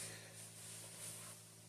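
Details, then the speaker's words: RV roof vent after swapping the stock fan for a quiet PC fan: very quiet steady airy hiss with faint low hum, no rattle or ticking; about 55–56 dB versus 76–80 dB for the old fan, much quieter. "Much quieter."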